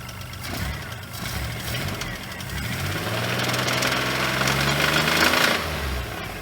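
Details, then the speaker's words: Geo Metro after head work, heard once squeal was silenced: deep regular knock about four per second under idle, rising with revs; rod knock from worn rod bearing, oil looked bad. "Why wasn't it rod knocking when we It started? was. We just didn't hear it because of the fucking squealing."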